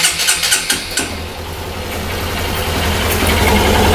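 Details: Suzuki GSR 150i fuel-injected motorcycle: six or seven quick cranking pulses, then the engine fires and settles into a steady, even idle; clean, normal start.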